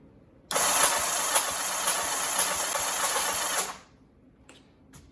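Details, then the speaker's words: 1984 Honda CBX750, first crank after the rebuild, with plugs out and no exhaust, to circulate oil. An even whirring crank for about three seconds with no clunks; it turns over normally with spark present. "Yeah, it's cranking over okay. It doesn't sound like it is. Scared me for a second, holy shit. But everything's cranking over."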